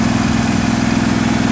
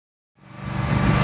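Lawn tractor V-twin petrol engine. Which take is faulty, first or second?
second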